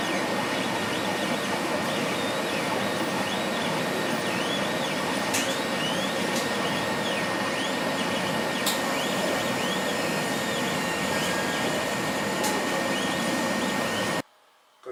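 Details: Laser cutter tube whistle: a steady thin high whistle held throughout over the background hiss. It appeared after about six months of operation and comes from the beam at the nozzle exit. Current rose 12→13 mA, with no uncut spots.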